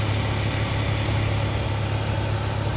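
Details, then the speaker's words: After zip-tie fix, 180k-mile Chevrolet Cobalt idling with a steady, even hum; recirculation door actuator behind the dash opens and closes quietly, no more click or tapping sound heard previously at startup. "close it, yep. It's not making a noise anymore. Yep. So it's a very quick fix for this one."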